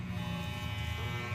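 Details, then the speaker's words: Wahl Super Taper hair clipper after repair of plastic part that softened when hot and made it noisy and loose: steady, even low buzz with no rattle, scraping or wobble; no longer noisy, runs smoothly. "Tapos basta yun guys, okay na siya guys, hindi na siya maingay."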